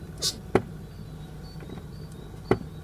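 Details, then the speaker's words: Brake pedal press on a car: two sharp single knocks about two seconds apart, felt through the pedal, heard at the vacuum brake booster rather than the calipers; cause unknown. "Короче, когда на педаль тормоза нажимаю, получается какой-то как стук, отдающий в педаль."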